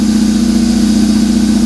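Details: Cold idle of a BMW R 1150 GS boxer twin after wiring harness restoration and Hall effect sensor wiring repair for a no-start; smooth, even, steady low thrum with no misses or knocks, though a stuck accelerator cable was noted earlier.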